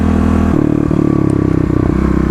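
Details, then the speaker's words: Kawasaki KLX250 (2018) with 351cc big bore kit, FMF slip-on and header, EJK fuel controller: after replacing a fouled spark plug, revving to 6,000 rpm shows a much smaller remaining misfire with brief stumbles; EJK fuel adjustments still planned. "but as you can see here, when I get to 6,000 RPM, the misfire is definitely a lot smaller than it used to be."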